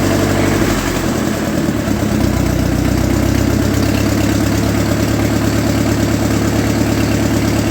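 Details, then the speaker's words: 1948 Ford 8N tractor in grim condition, started after the oil pressure gauge lines were blown clear and checked for oil pressure: the old four-cylinder settles into a steady low chug with no knocks or rattles. Normal running. "wow pretty good so that was pretty good"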